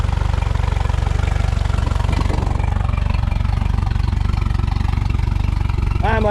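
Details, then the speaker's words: Mercury 115hp outboard on a fire-burnt Lund boat, first run in neutral: steady, even low putter at idle with no knocks or misses; pumping water, engine runs cleanly after the fire, normal idle. "So far so good. Let's have a look around the engine. Pumping water means the means the uh color didn't get hot enough to melt."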